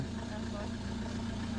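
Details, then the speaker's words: Vehicle started after the battery was fully discharged and a battery was connected by an emergency service. Steady, low, even idle with no misfire, knock or stumble. Normal, healthy idle. "හරි බැටරිය set කරා. දැන් බලමු start වෙයිද කියලා."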